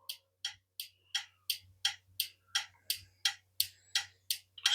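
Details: BMW E46 M3 custom chassis harness with LED blinker relay, tested at the dash: crisp, even relay ticks about 160 per minute with nothing else audible; turn signal flashing normally.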